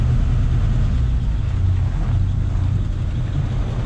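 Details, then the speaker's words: 1953 Ford F-100 half-ton with a 239 cu in flathead V8 and a 3-on-the-tree manual, started on the choke in neutral: a deep, smooth, even idle rumble with no ticks, knocks or misses. It runs well. "Sounds good, runs very well."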